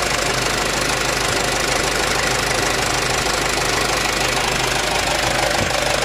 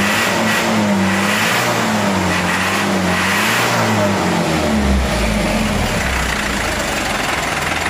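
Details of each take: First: Mitsubishi Canter HDL 136 diesel truck, after the injection pump was rebuilt following a broken timer whose fragments fell into the oil sump: steady, even clatter with no misses or heavy knock. Normal, smooth running with the bearings found unscratched. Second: Mitsubishi Canter HDL 136 diesel box truck before repair: revs up and down with uneven, wavering drone that won't settle; rough running from injection pump timer found broken, fragments in oil pan, bearings unharmed.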